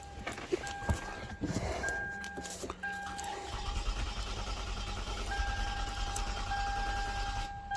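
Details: 2013 Lexus ES350 after a dead battery: a couple of chimes and a dash message, then the starter cranks steadily for several seconds but the engine never fires. This is a crank no-start because the key fob is not communicating or recognized.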